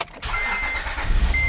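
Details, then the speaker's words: 2005 Acura TL started after oil change: short crank, engine catches at once and settles into steady, even idle; healthy start. "starts right up every time."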